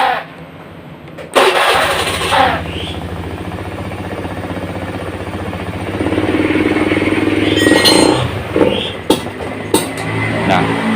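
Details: Honda Beat FI scooter, already serviced with new pump filter, cleaned throttle body, new plug and plug cap: starts, idles, then hesitates and dips unevenly on throttle, from low fuel pump pressure; less bad when hot.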